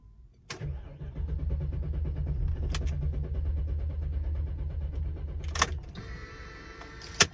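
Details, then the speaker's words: 2006 BMW X5 4.4 N62 V8, run almost dry then wouldn't start: starter cranks briskly and evenly for about five seconds but never fires; fuel pump failure suspected, no fuel delivery. "okay got a 2006 bmw x5 4.4 liter n62 it's cranking but it's not starting"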